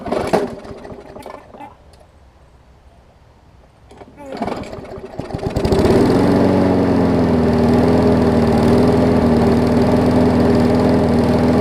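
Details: Newer Murray push mower, fixing oil in gas and water in oil: engine catches and settles into a steady, low, laboring beat, running slower than it should; throttle/governor spring setup still needs sorting.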